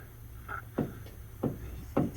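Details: Ford F-150 with 8.8-inch rear axle, leaking and probably low on fluid, checked for a driveline vibration: three dull clunks as the pinion is rocked by hand, indicating excess lash from lost pinion preload; a spun bearing race is suspected.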